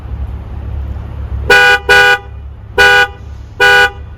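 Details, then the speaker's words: 2022 Tesla Model S Plaid, towed in for repeated self-initiated honking: four short horn blasts in under three seconds with no one at the wheel, cause unknown; horn sounding by itself. "just like that it keeps honking for no reason and that's funny this is a model s"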